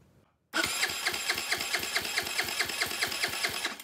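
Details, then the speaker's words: GY6 139QMB Honda Ruckus clone after a 100cc big bore kit rebuild, compression tester fitted, starter powered directly: even cranking with matched pulses about six a second. Compression healthy, reading a little over 150. "so all we're gonna do is hook up power to the starter with the compression tester on let's see how we did"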